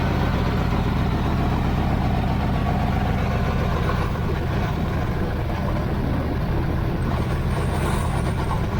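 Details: 1980 Z28 V8 just started on a new knock-off Holley 4-barrel carburetor, no brakes, carb not leaking: steady deep rumble holding an even fast beat with no dips or stumbles. It is idling higher than it should.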